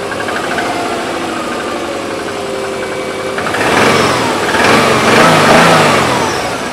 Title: subaru legacy twin turbo engine knock